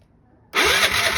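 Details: Piaggio ET4 scooter, long unused, on jump pack with weak battery: starter whirs, engine half-catches raggedly but won't run; cranking without starting, cause suspected not confirmed.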